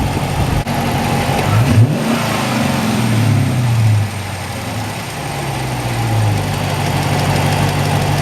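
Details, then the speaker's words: Dodge Challenger RT 5.7 V8 just after K&N air filter install: deep idle with a couple of throttle blips, intake whoosh rising with each rev, settling to a steady burble; normal revving. "You can hear a little bit. It does sound like it's sucking in air, but"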